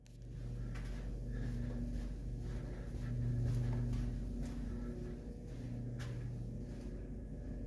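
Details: Constant low electrical hum from hotel light fixtures, droning and swelling slightly throughout quiet halls and rooms; front desk claims it is standard.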